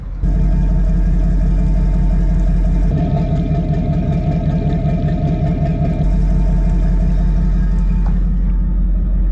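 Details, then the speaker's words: Detroit Diesel marine engines on a boat after yearly service with new impellers, idling for a water-flow test: deep steady diesel rumble, even beat, no knocks; normal idle. "our new pumps so just an idol at the moment that's how we did the test before so do it the same"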